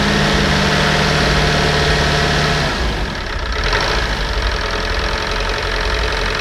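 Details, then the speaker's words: Land Rover Discovery 300Tdi diesel from a Copart salvage auction, first start on jump leads with the stop solenoid held: steady even idle chug, then revs rise into a louder, rougher run, pulling cleanly; normal diesel running. "right it runs so let's see if this works"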